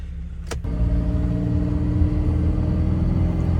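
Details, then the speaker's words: 2001 Toyota Tundra, 3.4 V6, two-wheel drive, in an acceleration test to see whether the check-engine light comes on: a deep, even engine rumble building smoothly under throttle with no misses or knocks; runs smoothly. "Yup, truck is running fantastic. It sounds smooth, man. This is great."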